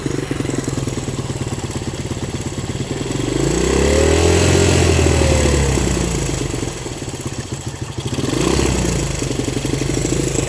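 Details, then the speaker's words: Cold 1970 Honda CL100 single, about 11,000 miles, just freed from seizure, on partial choke and a little smoky: pops unevenly, revs swelling and sagging as it struggles to stay lit; owner suspects an air leak. "is that it it's we're a little Smokey here oh but that's to be expected"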